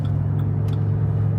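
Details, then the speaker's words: Jeep Grand Cherokee WK2 at about 75 mph, after a pad was fitted to stop the plastic cowl jiggling: only steady road rumble and chassis wind noise, with no hum. Normal cowl, no wind hum. "this would be the speed where we heard the noise earlier we going to go back here and as you can see now it's quiet can even go a little further now we have more wind noise in the chassis but the cowl is completely quiet now"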